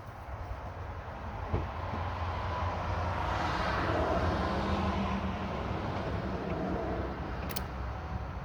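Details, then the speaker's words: Chevrolet Duramax diesel at idle: a steady low hum under an even idle that never changes; owner suspects the two lower idler pulleys, to be replaced; humming noise at idle. "So I think that humming noise is from those idler pulleys."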